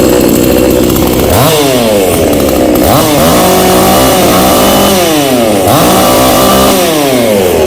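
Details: New Kratingdam (Black Bull) TOP 6000 two-stroke chainsaw with a new air filter, longer conrod and 45.2 mm two-ring piston. It snaps cleanly to high revs and drops back repeatedly; strong, healthy running, felt to be stronger than the 5800 and possibly slightly harder to start.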